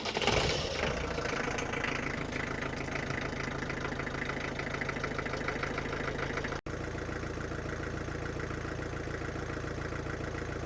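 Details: Land Rover Defender 110 diesel, off the road 10 years, just fitted with new alternator after over/undercharging, started to check charging: brief start-up flare then even diesel clatter with steady beat; normal idle, now charging 13–14 volts.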